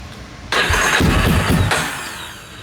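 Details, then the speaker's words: Yamaha Warrior 350 ATV, cold start on a jump box (dead battery), choke on: brief cranking, then it catches for about a second and fades out; it stalled because it wasn't run long enough on choke. A starter solenoid fault is also suspected. "yeah it just cranked but it shut off cuz we didn't let it run long enough with the choke"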